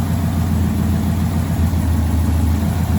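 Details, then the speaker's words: V8 at idle with code P0352: a low idle with an uneven lope and stumbles that come and go. Intermittent misfire from loose wiring at the coil pack plug; fixed by repinning/replacing the Molex connector. "You can just hear it chooching, right? There it goes, it's missing. But now it's back. And now it's missing. That's what's happening. It's this wire, the plug is loose."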